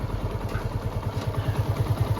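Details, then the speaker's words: TVS Apache RTR 160 BS4 after full engine repair, idling without throttle: slow even thump about six beats a second, previous clatter completely gone; normal idle. "कितना मस्त कितना बेहतरीन sound आई है engine की जरा से भी कोई वो खटखट वाली आवाज नहीं रहा एक नंबर आरपीएम भी बहुत ही लाजवाब है"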